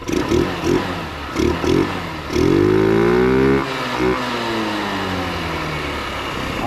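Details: 2006 Touring Strata RX150 GY6 scooter revived after sitting about a year: small single blips, then a held rising buzzy rev dropping back cleanly; runs healthy now.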